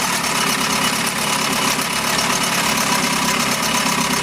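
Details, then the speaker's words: 1971 Mercury outboard (listed as 7.5, also called 72 horse) revived after coil and points work; running with cover on, pumping water, even crisp two-stroke idle with no stumbling; runs like a dream. "this thing was resurrected from the [Music] dead put a lot of hours into this thing trying to get it to run but now it runs like a dream"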